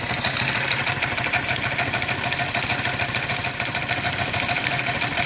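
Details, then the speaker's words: Motorcycle idling after cylinder head rework (valves, seals, guides replaced) with a busy, rapid metallic knock inside the engine. Mechanics variously blamed the piston, conrod or crankshaft, but nothing has fixed it. Cause unconfirmed. "um disse que era pistão outro disse que era biela out dis que era virabrequin assim alguma peça batendo dentro do motor mas nada resolveu"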